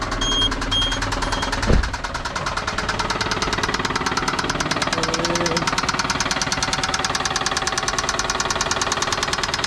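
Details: Toyota Camry VVT-i petrol engine at idle with a steady deep knock about three times a second: connecting rod bearing knock, typical of high mileage, hard driving or missed oil changes; stop before the engine seizes.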